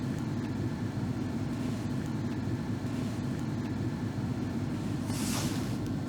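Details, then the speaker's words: Toyota blower motor switched on live through a Techstream Active Test (bidirectional control): a steady, even airy whoosh with no rattle, squeal or wobble in fan speed, so the blower runs normally. "all right that's the blower motor"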